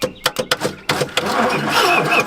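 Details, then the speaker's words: 1968 Oldsmobile Toronado 455 big block, long abandoned, on a 5-year-old battery: sharp clicks then rough starter whir with no cranking, starter bendix stuck out not meshing with flexplate. "Uh, hear the bendix click out of the starter there. It should it stuck out into the flex plate."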